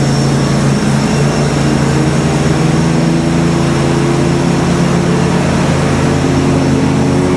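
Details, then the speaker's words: Kohler twin on a Simplicity Stallion zero-turn, after head gasket and carb work, now with a new muffler: steady, even low drone at constant speed, no misses, knocks or surging; RPM maybe a hair low, slight whooshing noted, leak-down planned. "Does sound like the RPMs are maybe just a hair low, but other than that, it runs just great."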